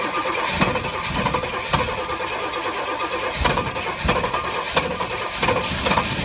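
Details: Pontiac GTO on a lift, long-stored, newly hooked-up fuel line, spark seen to have stopped: starter churns in uneven bursts with a few loud hits, never catches; cranking no start, cause suspected, not confirmed.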